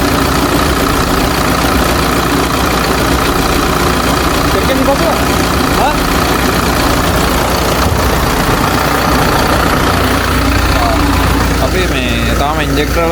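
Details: Hino J05E diesel truck engine after injector replacement, before QR-code injector calibration: steady, smooth low idle rumble with no knocking; engine knock gone and RPM fine, healthy.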